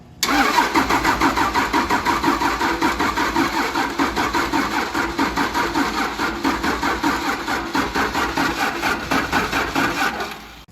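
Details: 1953 Mack A40 with a swapped-in 24-valve 5.9 Cummins diesel from a school bus, booster pack moved to the starter: about ten seconds of steady, rhythmic cranking with no firing at all. Something is smoking, likely the starter. Cranks but won't start.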